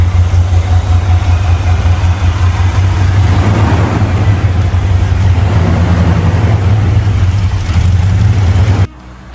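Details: Newly installed carbureted V8 (engine swap, emissions equipment removed), first start after fitting in motor mounts: deep, lumpy idle with steady low rumble and loping beat, strong and even; healthy engine.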